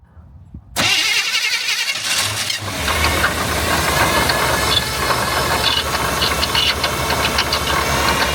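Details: Old GMC squarebody truck cold-started in cold weather after failing to start days earlier; catches, then rough idle with chirping squeal and light knocking on top, squeal pointing to a worn water pump bearing.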